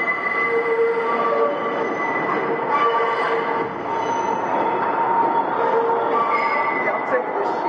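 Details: Northbound NYC Subway 5 train rounding the sharp right curve into 149th Street–Grand Concourse station: sustained loud, high-pitched screeching over the train's rumble as wheel flanges grind against the rails on the tight curve.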